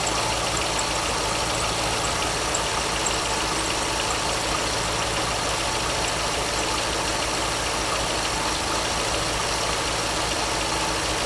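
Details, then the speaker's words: 2002 Corvette Z06 with a squeak traced to the front belt drive; the engine idles smoothly and evenly with a steady hum. Soap applied to the belt makes the squeak disappear entirely, which confirms the belt as the source. "so hopefully you noticed as soon as i touched that belt with the soap the noise went completely away there's no squeaking whatsoever"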